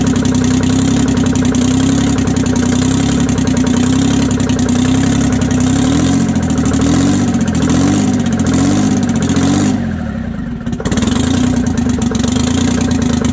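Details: 1968 Detroit Diesel 3-53T two-stroke after total overhaul, stone cold (engine about 4.5°C/40°F, outside -3°C): deep even drone with steady firing, brief dip midway then settles; good oil pressure, no leaks; normal idle.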